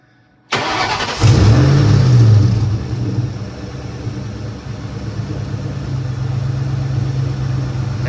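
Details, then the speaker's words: 2003-2004 SVT Cobra with the supercharger belt removed from the lower crank pulley, started to isolate a squeak: steady idle with no belt squeal, so the noise is traced to one of the pulleys. "We're going to start it and see if we still hear the squeaking."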